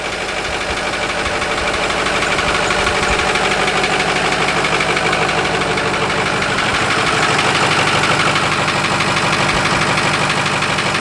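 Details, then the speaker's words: 2005 Ford F250 6.0 Powerstroke diesel at idle, replacement engine; steady idle with a fast, even tick about three per second on top, heard closer to the engine; cause not yet determined, truck going to shop: engine ticking at idle. "now you hear all that about ticking let's get closer"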